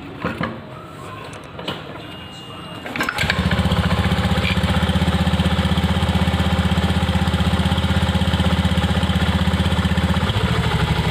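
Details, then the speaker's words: Honda Beat FI scooter after fix: CVT jingling traced to an overly loose plate, shimmed; after a few clicks engine settles into smooth, even idle with steady low pulses, no jingling or rattle; normal idle. "ini ya, suara yang tadi kerincing-kerincing tadi ya, kayak platnya kendor tadi, ini sudah hilang ya, sudah nggak ada suara yang kerincing-kerincing tadi."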